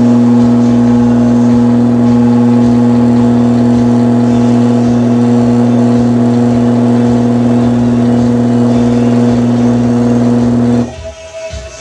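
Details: Berns Air King box fan, repaired motor drawing about 2.8 A, windings checked for shorts before test; even steady mains hum with clean tone, no rattle or scrape, then switches off; motor running fine after repair.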